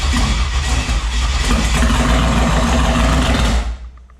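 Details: Turbo 5.3 LS-swapped Mustang, whose earlier slow cranking was traced to a weak battery: the engine catches quickly and settles into a deep, steady, lumpy rumble. Normal engine start.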